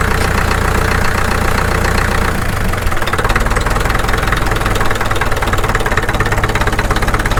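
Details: Caterpillar D2 (#5J1113) diesel at low idle on first start after full pony motor and diesel rebuilds, 30 psi oil pressure: even clatter at steady low idle, firing on all four cylinders with no misses or stumbles, running smoothly.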